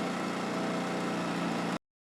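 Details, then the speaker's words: Homemade tractor with a motorcycle engine, tested after fitting a new 3D-printed relay and fuse box: it starts and is stopped with the key, a short smooth even hum with no misses or knocks before cutting off. "on va voir si le moteur démarre et le moteur s'éteint avec la clé parfait"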